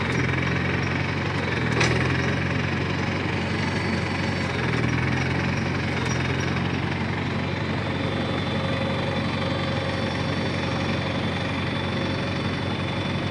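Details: 1953 Farmall Cub tractor after refilling the hydraulic system (NAPA tractor hydraulic transmission fluid): steady even beat, smooth low rumble, earlier high-pitched squeal gone; normal running.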